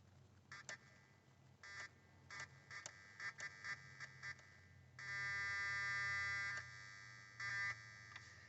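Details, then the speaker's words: 2002 Mazda Tribute cranks but no start, no fuel pressure or prime: intermittent high-pitched electrical buzz in bursts with key on, engine off, loudest on top of transmission below battery; cause unknown. "hi guys um just wanted to produce that buzzing sound that comes from my throttle body"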